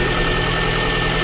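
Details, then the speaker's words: Lada Kalina 1.6 used swapped engine, cold idle, coolant boiling and missing; lumpy shaking beat as a cylinder drops out; diagnostics show cylinder 2 misfire, likely no compression there. "Ми також чуємо вже пропуски по діагностиці у нас пише другий циліндр тому компресії Скоріш всього нема в другому циліндрі"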